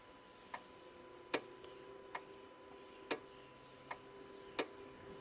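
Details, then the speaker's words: Jaguar XF (X250) with intermittent ABS and ESP warning lights, scan-tool active tests on the ABS pump: crisp single clicks about every 0.8 seconds as each solenoid valve inside the pump switches on and off, responding normally. "what i've experienced doing these active tests is that is that every time i press any of these ones you can hear this sort of clicking so it's a solenoid inside the pump that goes on and off"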